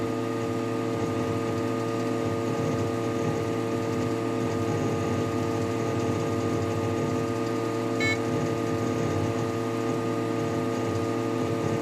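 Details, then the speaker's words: Desktop PC that freezes for about five minutes when several browser tabs are opened, yellow light staying lit; camera laid on the system unit: steady buzzing hum with fixed tones and a brief crackle, no speed change; cause unknown. "Сейчас я положу камеру на системный блок может быть лучше будет слышно этот гул я помолчу и положу и послушайте А я буду обновлять страницу какой-то очень странный такой звук"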